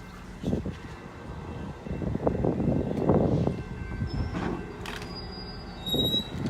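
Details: GO Train locomotive 665 at East Gwillimbury GO Station: heavy diesel rumble with a rough swelling drone and faint high squeals on top; an odd noise from the locomotive, cause unknown.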